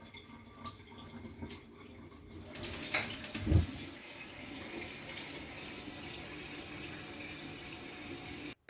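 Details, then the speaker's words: Gas water heater after replacing the old mixer tap: brief clatter as tap opens, then smooth steady water hiss, no whistle, rattle or hum from the heater; normal operation. "да мы видим свист пропал холодного вода течет колонка не дребезжит"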